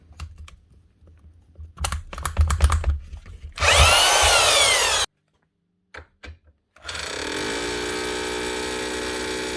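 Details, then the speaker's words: Roughly 30-year-old Spit 321 SDS drill running again after only a new power lead: a few clicks, then the motor spins up with a rising whirr and holds a steady, even hum. Normal running. "what about a 30-year-old spit SD asro up and running again with just a new lead if that doesn't show that older machines were simply built to last I don't know what would"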